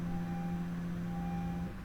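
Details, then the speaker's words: Fuel pump priming normally at key-on: a steady low hum with a faint whine that lasts under two seconds, then cuts off. If this sound is absent, check the pump fuse and relay and do a fuel pressure test. "Vous voudrez écouter le son classique que fait la pompe à essence à chaque fois que vous mettez le contact..."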